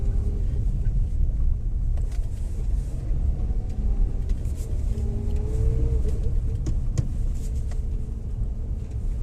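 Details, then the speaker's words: Maruti Suzuki Alto 800 after axle repair. It previously vibrated and rattled heavily through the body at low speed, pulling away in first or reverse, with the suspension already checked. Now steady road rumble and a smooth engine hum with no shudder or rattle: drives normally. "है अभी नहीं आ रहा वो पहले एकदम एकदम ज्यादा vibration आता था अंदर बॉडी में अभी फील नहीं हो रहा"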